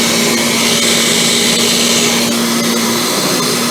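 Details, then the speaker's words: Kirby G5 vacuum with newly fitted original transmission drive selector switch and new fan impeller: loud steady motor roar with high whistle and faint rattle; self-propelled drive stuck in reverse because the transmission was not seated in its socket, barely rubbing, not connected. "Oh, there's an issue. It's stuck in reverse."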